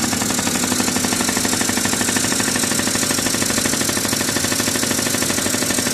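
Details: 1981 Yamaha Champ 50cc two-stroke scooter with new PW50 top end rebuild, first start on premix; even, high-pitched buzz holding steady with no misses or knocks, starts first kick and runs cleanly.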